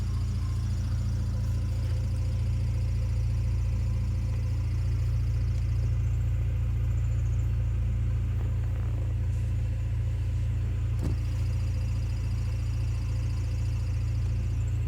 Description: Squeak sound coming from the transmission, when I push in clutch goes away, maybe throw out bearing. No raddles just annoying squeak.